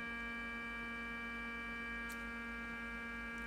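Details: Fluke 6060B RF signal generator under repair (OCXO module) with modulation turned off: constant low mains-type buzz with steady overtones on the audio output; power supply problem suspected, not confirmed.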